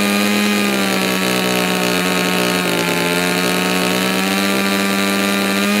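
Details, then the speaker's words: Stihl MS290 chainsaw after muffler mod, full throttle setting high-speed carb screw by ear: steady high scream with slight burble; too lean sounds very smooth, richer burbles roughly; high-speed mixture tuning, lean smooth vs rich burble. "but when it's too lean it's going to start it's going to sound really really smooth if you as you back it out to towards the rich side you're going to start hearing it burble a little bit starting going to sound a little bit rougher"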